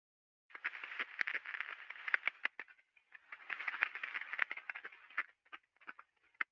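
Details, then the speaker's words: Ultrasound recording of a slow-speed rolling bearing turning at 14 RPM, inner race at 173 RPM: crisp crackling clicks in uneven bursts over near silence, the impact pattern of a damaged bearing race. "so it's very easy to detect a slow speed pairing okay so this thing was going at 14 RPM and the inner race was at 173 RPM"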